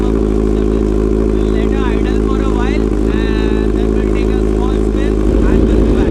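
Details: Kawasaki Z900 with Leo Vince full exhaust and freshly cleaned BMC air filter, warm-up idle in neutral; loud, steady, deep exhaust burble holding an even beat, no misses or knocks: normal idle.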